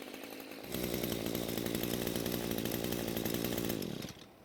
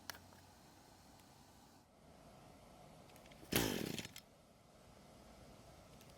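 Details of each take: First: Echo string trimmer after a carb rebuild and after turning the top fuel adjustment screw half a turn counterclockwise. A crisp, steady high two-stroke buzz holds at full throttle with no bogging or surging. The mixture is now correct. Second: Echo string trimmer left unused a long time, possibly stored outside, with fuel reaching the bulb: two brief bursts of firing die within a second, even at half choke. It is running lean and will not keep running, before the carb is serviced.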